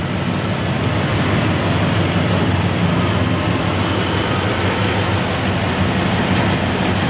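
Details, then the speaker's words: Gasoline 360 V8, rebuilt, under 10,000 miles, with performance options, being pulled because the transmission is blown; deep steady idle rumble, even with no knocks or misses over a noisy background: normal idle. "but the engine's fine we're gonna hear it run oh rebuild less than 10 000 miles"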